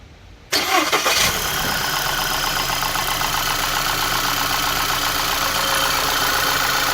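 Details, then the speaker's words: 2011 VW Tiguan after replacing the ignition coil harness because of a loose signal wire that caused cylinder 1 and 3 misfires; catches within a second and settles to an even idle, no misfire; normal start. "the fire um all right we started it three more times it starts right up no misfire and we're going to call this epic"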